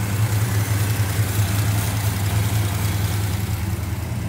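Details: Fully restored 1967 Plymouth Barracuda convertible, E-code 273 Commando V8 with Commando high-flow single exhaust, idling with the air cleaner lid off: a steady, even low rumble with no ticking or misses; a healthy V8 with quiet, properly lashed solid lifters.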